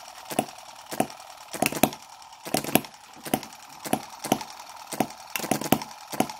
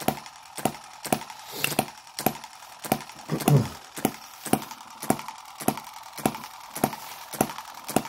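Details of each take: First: Microcosm M17 1.6cc hit-and-miss model engine, mixture richened quite a bit while being dialled in: sharp firing pops in uneven clusters about every second, some doubled, over quiet gaps; running rich, and the owner wonders whether it will die from over-richness again. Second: Microcosm M17 1.6cc model hit-and-miss engine being revived; it had been dying from over-richness and flooding, cleared by holding the exhaust open and turning it over. It now gives crisp single pops, under two per second, with quiet gaps: normal hit-and-miss running.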